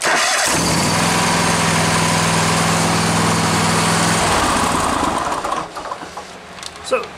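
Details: Hustler lawn mower with a Kohler engine and intermittent no-start, after solenoid testing with a power probe and key in start: strong, even starter cranking at about three and a half beats per second for four seconds, then stops; healthy cranking.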